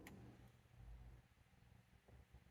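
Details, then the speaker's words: Shop heater blower motor clicks and hums but will not spin, seized after squealing badly earlier; it was fixed with two skateboard bearings. "I hear the motor's stuck nope it's not coming on at all I hear it clicking at the motor"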